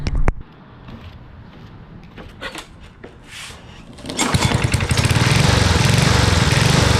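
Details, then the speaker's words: Yard Machines lawn mower with PZ20 carburetor, just fitted with a homemade 3/4" conduit exhaust and Briggs & Stratton muffler: fires after handling and settles into a fast, even putter with no misfires; runs well, though the exhaust weld leaks. "oK we've seen that it works it works really well"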